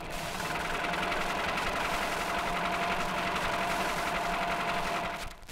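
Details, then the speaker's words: Car engine running light in top gear, where the fault is loudest: rapid hard steady knock from a defective big-end bearing, must be fixed immediately before it wrecks the engine. "back to the engine now and a defective begins it's loudest when the car is running light in top gear"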